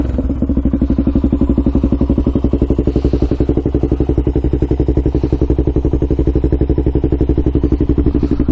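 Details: Rebuilt 1999 Honda 400EX single warming up after its break-in ride, before a hard ride: even, steady thumping of about four beats a second with no stumbles or misses and no smoke. Normal idle.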